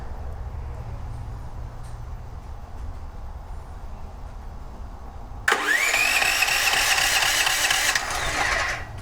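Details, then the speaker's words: DuroMax XP13000HXT tri-fuel generator switched to gasoline, choke on, low oil topped up, runs on propane: quiet, then loud crank with rising whir that never catches; cranks but won't fire on gasoline, restricted fuel flow. "okay so it doesn't seem like it's starting right away"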